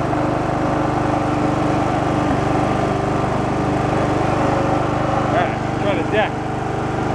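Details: Abandoned Poulan Pro riding mower, petrol engine that earlier popped back as if running rich, now mowing with the deck engaged: a steady, even drone with no misses or surging; running normally under load.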